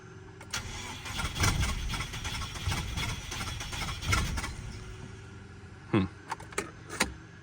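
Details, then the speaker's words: Subaru XT with a bad motor, first start after coil pack work: it runs in uneven surges and stumbles with sharp pops, barely keeping running and smelling of old gas. A plug or coil pack is suspected still missing, possibly an exhaust leak. "I swear it sounds like another plug and coil Pack's missing so it's running but it's really really rough definitely sounds like a coil pack still missing"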